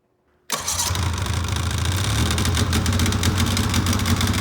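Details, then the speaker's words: 2006 Polaris 700 IQ Classic snowmobile two-stroke, sat a few weeks, started after charging a dead battery: silence, then it catches at once and settles into a steady, lumpy two-stroke idle without faltering; clean, normal start. "There it goes. So I got it all running now. As you can probably hear it outside."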